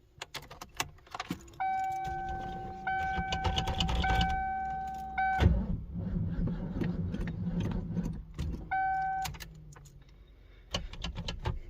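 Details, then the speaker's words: 1994 Mustang, about 10 degrees outside, on jumper: steady low cranking drone for several seconds under a door chime, never catches; cranks but won't start. "Alright guys, let's hope this thing starts. It's like 10 degrees outside right now. And of course, doesn't start."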